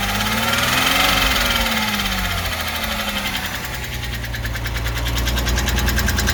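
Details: Porsche 986 Boxster 2.7 flat-six at idle: recently developed light regular ticking, about three ticks per second, over the engine note.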